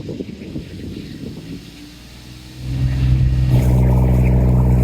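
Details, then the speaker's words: Sailboat diesel after the raw water pump was replaced: low idle clatter, then a quick rev to 2500 RPM that builds into a steady strong, smooth note with no misses. Idle looks good and it is working well. "I've never been so happy to see that working so well."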